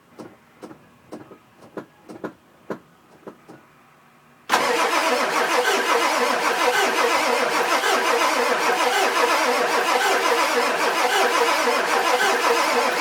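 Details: 2000 Ford F-250 7.3 diesel, 208k miles, all parts under valve cover new except injectors, new cam position sensor: slow even cranking about three pulses a second, then hiss and clatter, turns over but never fires; owner suspects injectors.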